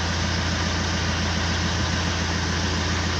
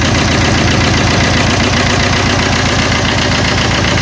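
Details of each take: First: Fiat Multijet diesel after work for noise and vibration: steady, even idle with a low smooth drone and no shake, water in a glass on the engine not even rippling; normal diesel idle. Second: Fiat Multijet diesel that is noisy and shaking: uneven, lumpy idle beating about twice a second with strong vibration.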